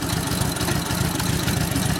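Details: 1942 Harley-Davidson WLA 45ci flathead sidevalve V-twin, rebuilt and tuned up after sitting a few years: steady, even low thump with no knock or stumble; running clean and healthy.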